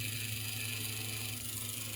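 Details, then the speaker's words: HO scale AHM Rivarossi Cab Forward locomotive gearbox after a thrust-washer fix, tested with a motor: smooth steady high whir, even low hum, no catching or knocking; the fix works and the gearbox runs cleanly. "have to say that whatever we did for the uh with those thrust washers in there, it did work. Now, can I get those two guys inside the nuts here so you don't have to worry about them? Yeah, it's working."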